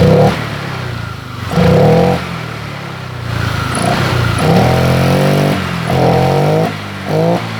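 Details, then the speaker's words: Honda Vario 125 LED scooter that hesitated with no response at initial throttle; after fuel was sprayed in through the air filter, revs climb crisply in short blips without stumbling, showing a lean fuel supply. Fuel starvation causing throttle hesitation. "ternyata tarikan gasnya lebih responsif labrat ini permasalahnya berada di bahan bakarnya kurang"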